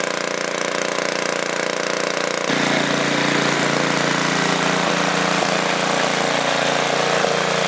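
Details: Tiller engine that wouldn't start; debris in the carburetor was cleared with compressed air and the air filter refitted. It catches and settles into an even, steady putter at about three beats a second, no misses or stumbles; running properly.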